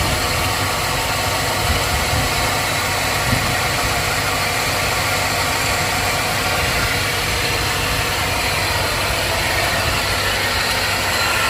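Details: 2002 Chevrolet Silverado, GM Vortec V8 gasoline engine, hot: steady rough idle with a gritty, scraping grind under the whole engine note and no clear rhythm. Owner suspects a bearing; cause unconfirmed.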